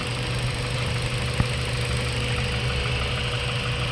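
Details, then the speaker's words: Mazda 3 1.6 four-cylinder after cylinder head work for low compression on cylinders 2 and 3 that caused heavy vibration: low, even idle hum with steady beat, no stumble, shake or misfire; vibration gone, normal idle. "yon yan tining na wala na yung vibration walang check engine w check engine yun wala na"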